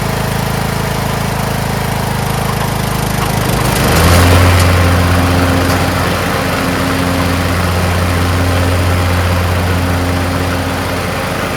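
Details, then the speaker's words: Craftsman T1600 (MTD-built) lawn tractor, 46" deck, Briggs 19hp, after replacing a blown cylinder head and head gasket, mowing the lawn: steady, even low drone that stays smooth under load with no knocks or misses. Normal running under load. "ran fantastic I didn't go around the block I figured I'd just go right into mowing my lawn mowed it perfectly"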